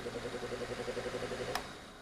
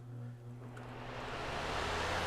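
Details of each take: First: Lasko PN020350 floor fan, not maintained, in a 65.5° workshop: motor makes a rough, pulsing grind, then a click, and stops almost instantly whether upright or tilted. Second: Lasko PN020350 floor fan after repair and maintenance for being noisy and hardly spinning, blades refitted with roll pin: steady low hum and smooth rush of air building to speed through high, low and medium, no rattle or drag; running normally.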